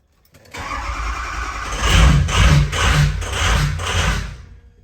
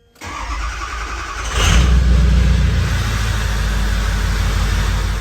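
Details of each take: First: Cold 6.0 Powerstroke diesel with rough running and hard cold starts: fires and surges in uneven pulses about twice a second and bogs under throttle, with FICM main power voltage dropping, reportedly to 37. Finding: rough running from a failing FICM, replaced. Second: Ford 6.0 Powerstroke diesel, previously rough running, after FICM replacement: cold start after sitting two days near 30°F, cranks briefly, fires promptly, steady even idle; FICM voltage 48.5–49 V, running smooth.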